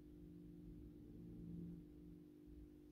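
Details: AEG Minikoffer West German post-top mercury vapor streetlight (80/125 W) on its first startup after rewiring per the ballast schematic, 125 W Osram Deluxe bulb. Faint, steady low mains hum with a slight buzzy edge, unchanging while warming: normal choke ballast hum.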